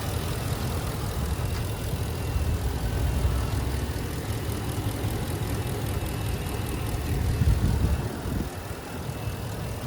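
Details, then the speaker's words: 2017 Ford F250 Super Duty 6.2L V8, recorded in the engine bay with the intake runner held to stop the common loose-runner tick. Deep, even idle with a steady low rumble and no ticking or misses; smooth and healthy. "smooth running engine. 6.2s from Ford are some of the most reliable engines that Ford actually made."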